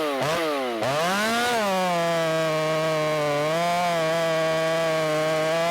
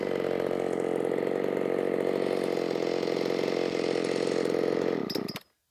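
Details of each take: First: Ported Shindaiwa 757 chainsaw cutting a log screams at high revs but pitch sags repeatedly in the cut; the muffler outlet, cut off flat, sits against the log so the saw can't breathe and bogs. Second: Ported Shindaiwa 757 chainsaw after timing advance, no jetting changes, cutting big wood: high, steady scream held at full revs for about five seconds, then a quick drop-off. It revs higher than before; strong high-rpm cut.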